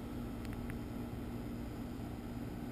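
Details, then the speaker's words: Brand-new American Standard Platinum 20 SEER two-compressor outdoor heat pump, replacing a 12-year-old unit; very quiet, smooth low hum with a couple of faint ticks; compressor running normally. "if you have a homeowner out there who really concerns or who is really concerned about noise this is uh this is the quietest heat pump in our line again it's because of the two compressors"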